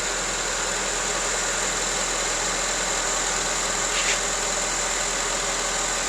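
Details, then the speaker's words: Honda CR-V with intermittent fuel pump relay problem: with relay negative terminal grounded, quiet even idle with steady hiss, no stumbling or dropouts; runs fine, no check engine light, no codes on scan tool. "watch what happens runs fine there's no check engine light there's nothing wrong"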